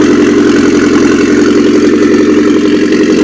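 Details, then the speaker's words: Mitsubishi Airtrek Turbo R replacement turbo petrol four, 85,000 km, from a half-cut, run off a temporary fuel tank. Steady, even idle with a smooth low rumble, no knocks, misses, major vibration or smoke; good compression. Normal idle. "vibrations nice compression no smoke coming out let's rev it a little bit upm goes up and okay engine sounds good everything spinning well vibration is good"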